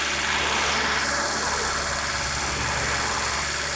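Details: Honda Civic EU8 with D16V1-to-D16Y8 intake swap at idle: steady idle with an airy vacuum-leak hiss over the engine, leak found around the throttle body gasket.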